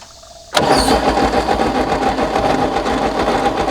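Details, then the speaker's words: 1964 Chevy Biscayne, parked behind a barn 30+ years, cranked with ignition on: steady rhythmic cranking with no firing; no spark, no continuity through the points, and engine sounds unhealthy inside. "Well, two things I notice. One, it probably doesn't have spark. And two, that engine does not sound healthy inside."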